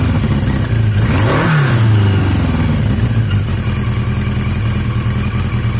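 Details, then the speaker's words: Yamaha XJ750 motorcycle after a carb swap from an XJ650: a quick throttle blip, then a steady, even idle with wind noise behind. Cleanest idle yet; sounds healthy. "I think that's the best idle I've had I'm not entirely sure you're going to hear anything it's so windy it's blowing everything out but that sounds quite"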